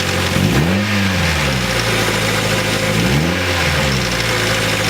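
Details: Nissan 240SX petrol engine idling with two quick revs, busy metallic ticking rattle over the engine note; timing chain rattle from the timing chain guides, one of which broke off.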